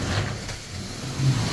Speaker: So considering the length that I had to run hoses, you can hear that the suction is still pretty decent.